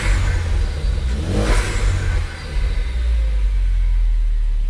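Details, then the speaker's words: Ford Focus ST with a new K03 replacement turbo, free-revving in neutral: the engine revs sharply and settles back with a faint turbo whistle not heard before, a clean, normal spool. "yeah that that little whistle even with the air filter box come take it off I still didn't hear but now it's like"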